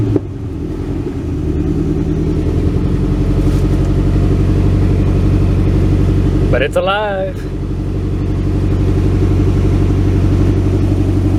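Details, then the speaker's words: 1967 Ford Galaxie 500 V8, cold first start on its old two-barrel carb with a makeshift fuel jug: a low steady rumble held at raised speed on the pedal; won't settle into idle by itself yet, improving as it warms. "it's alive power steering's working I'm having to keep my foot on it I'm afraid to let off well she's definitely not ready to idle"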